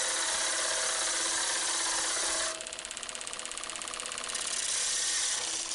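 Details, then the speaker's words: Woodturning lathe turning a tenon to 7 mm on a cloth-covered jam chuck: high hissing cut then fast even tapping about three per second; cloth on jam chuck flapping. "now that tapping noise you can hear is actually the material on the jamb chuck flapping on the"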